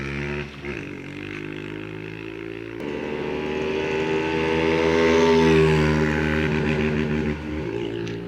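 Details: Honda Wave 125i that started then stopped with fuel pump not ticking, fuel pressure measured 28; after replacing the pump the engine fires steadily, revs smoothly and settles back without misses; normal running.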